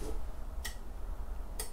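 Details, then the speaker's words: Caravan boiler with no gas supply: in a quiet room, a sharp click repeats about every second; the igniter sparks but no gas reaches the burner, so no hot water. "that's a ticking cuz we got now gas which means no hot water"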